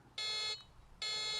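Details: Electric scooter horn button on the handlebar control panel: two sharp, high-pitched electronic beeps, each about a third of a second with a short gap; the horn sounds normal.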